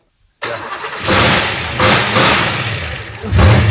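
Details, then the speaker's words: 1940 Ford Fordor with small-block Chevy and Turbo 350 automatic, start after priming carburetor via accelerator pump: brief crank, catches first try, crisp even idle with blips, 50 psi oil pressure; runs healthy. "yeah Run's awesome [Music] did you have oil pressure yeah 50 psi right at yeah yes this thing's going to be a beast man man that sounded good it's crisp"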